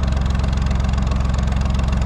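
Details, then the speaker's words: Vintage Lister HW3 three-cylinder narrowboat diesel, just serviced with valve/tappet clearances set, cruising the canal in the morning; deep, even thumping beats at steady rate, nothing missing or rattling; running like a dream. "there she is running like an absolute dream this morning"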